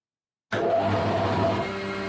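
Switches on abruptly and settles straight into a steady, even motor hum with a constant pitch; the planer runs smoothly.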